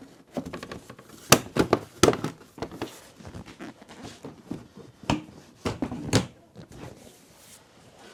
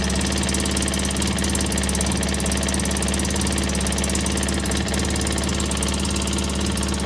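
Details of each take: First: 2003 Polaris Sportsman 600 ATV after welding cracks on both sides: some clatter and handling, then the engine catches at once and settles into a smooth even idle without exhaust puffing or ticking; normal start and idle. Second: 2003 Polaris Sportsman 600 at idle after starter fix: fast sharp raspy ticking locked to the firing over a rough engine note, air felt at the headpipe; exhaust leak from a cracked Y-pipe.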